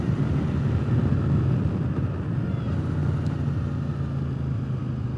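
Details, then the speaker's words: Triumph Speedmaster motorcycle on first test ride after swapping overly loud pipes for used official Triumph exhaust: deep, steady, much quieter rumble with no popping, crackle or downshift backfiring; normal exhaust note. "All right, first ride since I put the new exhaust on. Boy, is it ever so much quieter."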